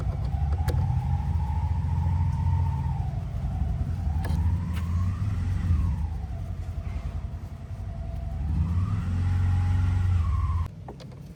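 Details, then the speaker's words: Refrigerator condenser fan motor giving a heavy low rumble and a wavering whine drifting up and down; it runs at low speed and causes weak cooling, so the defective motor is replaced. "Motor Condenser is Abnormal sound and low speed operating. Motor condenser is defective"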